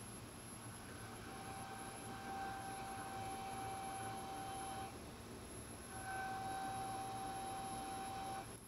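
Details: MPT-7210A boost solar charge controller: steady high whine near 800 Hz with an overtone over the fan rush, heard when the fan intake is pressed against the faceplate; fan whine from intake obstruction.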